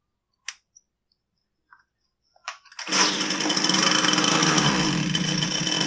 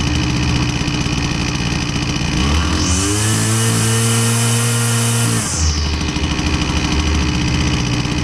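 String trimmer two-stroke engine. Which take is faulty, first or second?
first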